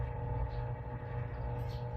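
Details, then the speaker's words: Power amplifier with preamp connected, driving a speaker, no grounding system fitted: steady low hum with a few evenly spaced tones above it; suspected ground loop hum, cause not confirmed. "So, maririnig ninyo, ayan, may background noise. Yung humming sound na yan, para siyang grounded."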